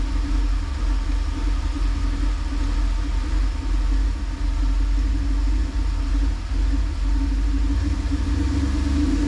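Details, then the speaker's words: 1988 Camaro IROC Z28, 350 TPI, 700R4, EGR disconnected: steady, even low rumble with no misses, knocks or surges; on this restart the idle is normal and it was ready to drive within 30 seconds. "It's good. It's ready to drive. I know I can drive it. And that took less than 30 seconds."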